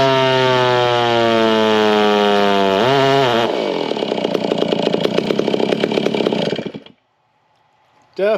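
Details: Race chainsaw with an iron-sleeve cylinder fitted in place of a failed aftermarket cylinder screams at very high rpm, then breaks into a rough, burbling four-stroke before cutting off.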